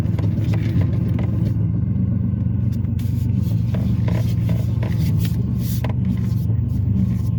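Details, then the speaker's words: Ford Taurus driving after a shop visit left a suspected exhaust leak: deep, steady, diesel-like low rumble under the car, heavier than normal, with power dramatically decreased; the owner blames the shop, exhaust leak unconfirmed. "like a diesel that shot got my car sounded like got my Torah sounding like a diesel"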